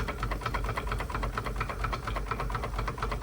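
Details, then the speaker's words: Wilesco D32 small steam engine during its first run after restoration: rapid, even chuffing with a wet gurgle, as the chimney fills with steam condensate that should drain down. "show you why it's gurgling. Take that chimney off [laughter] bit off. Cut that chimney off. It's steam all that full up. That's supposed to drain down."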